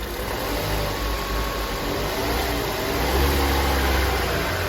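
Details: Opel Astra J petrol engine, cold, shakes more when cold: an uneven, stumbling misfire that lurches as it's revved, traced to burnt valves after plug and coil swaps didn't fix it.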